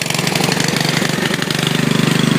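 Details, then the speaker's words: 14.5 hp riding mower, started by jumping the solenoid on choke: loud, raw, rapid exhaust popping at a steady idle, each pulse blatting out. The muffler is really loud. "And I also got to fix the muffler because the muffler is really loud."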